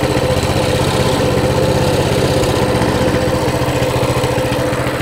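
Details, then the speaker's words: Mini bike with non-adjustable carburetor that took off on starting, idle adjusted down from about 1900 rpm with throttle return spring off: steady, even putter at about 1750 rpm with no misses or surging; normal idle. "sounds better 17 30. on the money 17.50 it's sitting right at 17.50"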